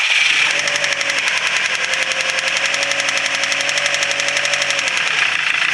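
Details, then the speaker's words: Subaru WRX STI with engine trouble: it starts and idles with a fast, loud, severe metallic tick, heard all over the engine by stethoscope, while rpm sags and it keeps dying; cause unknown, compression test planned. "so as you saw and heard it it starts up okay it seems like it idles okay it's got a severe ticking noise in it and then it keeps losing rpm and dying"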